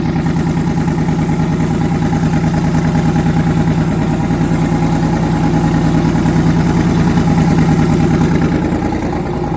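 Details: Twin-turbo V8, first start after conversion, oil pressure near 70 psi, head gaskets done last year: loud lumpy idle with rhythmic skipped beat in exhaust pulses; back cylinder dead; misfire.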